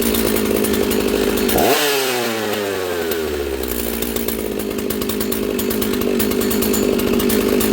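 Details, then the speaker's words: Husqvarna 66 chainsaw, freshly assembled, bench run: high busy idle that comes down slowly after a blip; running lean, attributed to air density and elevation. "You can hear it's lean. It's idling kind of fast and it's slow to return to idle."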